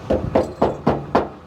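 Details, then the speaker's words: 1960 El Camino fuel tank tapped from underneath: five quick hollow knocks that ring dull and empty; the tank sounds bone dry with little fuel inside. "that sounds bone dry which is exactly what you want to hear not a lot of gas in there could have been emptied could have been ran out that's good"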